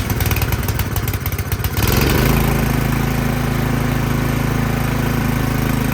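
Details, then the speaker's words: Craftsman snow blower small petrol engine after carburetor removal and cleaning of a dirty emulsion tube: steady, even drone with no hunting or surging; it previously started then died. "All right, it's not hunting, it's not surging anymore. So yeah, that emulsion tube was just dirty."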